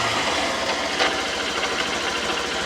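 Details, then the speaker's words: 2008 Honda CBF125 said to have been blown up by its previous owner, idling with a fast, even ticking knock. It runs all right at higher revs, but something inside catches at low revs. Bottom-end bearings are suspected, not confirmed. "okay I need to actually have a look and see what's up with this engine it actually runs all right at higher revs but something is clearly catching or something's wrong inside it"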